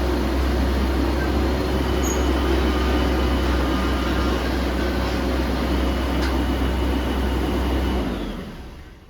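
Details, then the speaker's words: BMW E36 under restoration, engine idling just after start-up with a loud, steady, heavy whooshing fan roar that dies away; the fan ran hard almost immediately, owner suspects a failed viscous fan coupling, unconfirmed. "Wow, okay, so the fan just started up already. Maybe the viscous coupling is gone."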